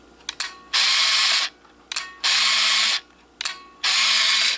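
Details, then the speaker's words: Kodak KC30 35mm camera with back open, no film, flash off: three crisp mechanical click-and-whir cycles about a second apart, all alike; shutter and advance work normally. "Okay entonces ahorita que está abierta la cámara vamos a hacer unos ejemplos de cómo captura Cómo Abre se cierra el obturador"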